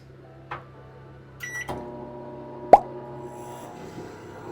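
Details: Microwave in a flood-salvaged 2018 Airstream trailer, running empty on generator power: beep and click, then a steady low hum with faint overtones as the generator cycles up; works normally.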